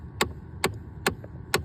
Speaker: So, you got a 2010 Chevy Impala complaining that it's blowing cold on the passenger side and warm on the driver's side. Turn the key on and you can hear one of those actuators is binding.